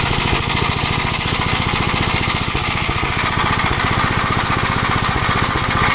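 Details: 1956 Gravely Model L single-cylinder on a test drive: ragged running with irregular pops and misfires, plus smoke; owner suspects an oil-fouled spark plug and a top-end problem, unconfirmed; carburetor and points are fine.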